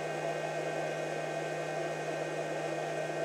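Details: Pyle PINV44/PINV66 12 V to 120 V power inverter driving a 100 W bulb (about 1.1-1.2 A, 59 Hz): loud, steady airy fan rush over a constant low hum, no surging or rattle; normal cooling fan under load.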